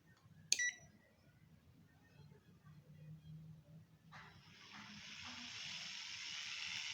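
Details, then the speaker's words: Panasonic indoor AC unit fan motor, bearing code 608, before replacement: beep at power-up, then fan spins up with coarse, rough hiss, shaft also drags when turned by hand; worn fan motor bearing. "suaranya seperti itu apalagi kalau suasana malam selesai sungguh wah ini udah kedengaran kasar sekali"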